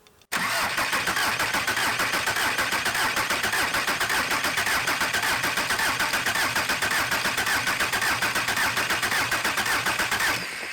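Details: Junkyard VW 1.9 SDI engine from a Caddy, about 190,000 km, cranked before the fuel lines are hooked up to check oil pressure via the switch test light: even, rhythmic starter churn about two pulses a second, no catching; normal cranking, oil pressure present.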